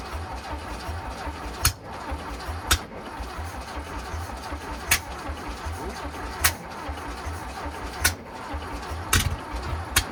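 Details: Air-cooled VW Bus engine neglected for about 30 years, out of the vehicle after mouse-nest cleaning and servicing, carburetors untuned, chokes on, no exhaust fitted: steady starter churn with a few sharp pops and catches, cranking long without starting.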